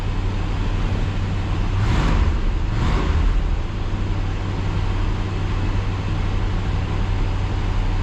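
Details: 1966 Ford Galaxie 500 352 4V V8, cold start after over three months sitting at about 47°F, warming up toward curb idle: a deep, steady burble at cold fast idle, even and unbroken with no misses, knocks or ticks. Normal idle.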